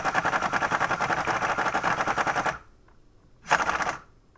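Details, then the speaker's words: Air impact wrench tightening the strut top nut on a 2005 Nissan Frontier Bilstein strut install: rapid hammering in short bursts, stops, then one brief weak burst; low air pressure, though it still got the nut on. "but it did put it on so quite impressive that it actually put it on"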